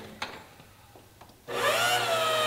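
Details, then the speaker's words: Brand-new pump on a quench-tank cooling rig (radiator from a Chrysler motor) switched on with no fluid in it: loud whining hum rising in pitch, harsh and rattly, as if running dry or sucking air; sounds like the pump could die. "oh that makes a lot of noise oh [Music] [Applause] what is that about trying to select fluid that doesn't sound good"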